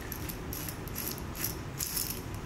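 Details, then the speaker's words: 1961 David Bradley tractor starter clutch spun by hand gives a rough, low growling rattle with uneven clicks instead of a free spin; it is hanging up, with the wick missing and the cap popped off. "but I can tell this is kind of hanging up you can hear it making that"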